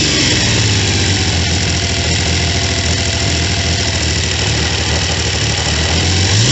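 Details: Triumph T150V triple after top-end rebuild (heads and cylinders off for oil leaks), started second kick: smooth even idle with a clean rev blip, no knocks or ticks; running healthy.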